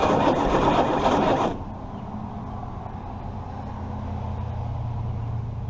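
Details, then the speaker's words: Chrysler 318 engine being revived: loud burst settling into steady even low rumble with no knocks or misses; seems to run normally. "That sounded kind of good, I think."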